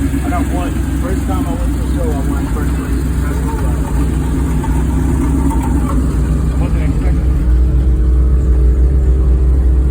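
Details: 1969 Chevy Impala V8 revving with a rough, uneven puffing rasp from an exhaust leak; voices in background.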